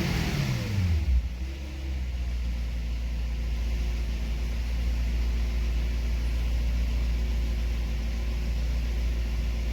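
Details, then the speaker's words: Mercedes W210 E50 AMG in limp-home mode with ESP light and P1580: after a rev blip the revs hang at a raised idle and never come down to correct idle. "The idle would then be too high."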